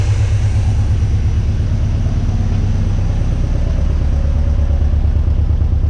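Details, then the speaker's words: 1979 Chevy C10 V8 left sitting 10+ years, first start without a belt, run on a jumper wire to the distributor; carburettor leaking fuel, running slightly rich but not smoking: deep, steady, even idle with no misses, knocks or ticks. "So either way, we got a runner. It's idling, sounding halfway decent."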